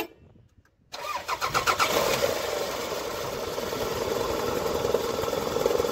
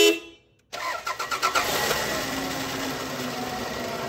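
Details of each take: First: Toyota Camry four-cylinder at start-up: engine catches and settles into a quick, uneven knock of about three per second at idle from inside the engine; timing belt suspected. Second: Toyota Camry four-cylinder after timing belt replacement (was noisy on start before): cranks briefly, catches cleanly and settles into smooth, even idle without ticking or slapping; normal start and idle.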